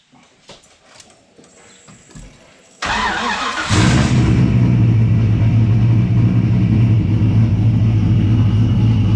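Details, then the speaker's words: Engine first running properly after laptop base/break-in tune, wideband and rear radiator fitted, no muffler yet: cranks briefly, catches, then loud, deep, steady idle with even exhaust beat; running properly. "that's so good very loud we're gonna get the muffler put on it soon but finally works so many months finally"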